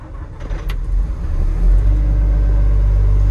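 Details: Construction machine, 14,000 hours, after cleaning and greasing battery terminals: brief crank, then the diesel catches and settles into a steady, deep, even rumble; normal start and idle.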